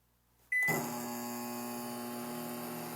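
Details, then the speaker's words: Philco Flat PMO28TF turntable-less microwave switched on: a beep, then a steady low buzzing hum, a vibration noise apparently from the side panel; overall noise measured no more than 52 dB. "e é esse ruído aqui que não agradou E aí você consegue ouvir mas é de volta daquela Chapa lateral"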